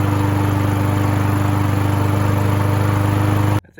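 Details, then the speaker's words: Free Husqvarna mower (throttle cable missing) running after cleaning debris, run to clear carburetor: fast, steady drone with quick even beat holding flat until it cuts out; idle too high and needs adjusting. "Okay, we definitely need to adjust the idle."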